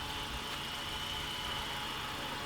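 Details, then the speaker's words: 2015 Honda Accord at idle: a loud, steady, high-pitched whine like a supercharger, present for about a month and also heard when accelerating; traced with a stethoscope to a worn belt tensioner pulley bearing. "all right so it's making this crazy whining noise I don't know if you guys are able to hear it I'm gonna get closer and I suspect that it's this way that's right here which is actually a tensioner pulley"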